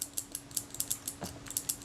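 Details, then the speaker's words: Kodak Retina I type 126 camera from 1936–37 being serviced. After the arm is lubricated with molybdenum paste, the shutter fires with crisp, snappy clicks and a smooth gear-train whir. The shutter action is normal. "nice and snappy that's good gear trains running smoothly too"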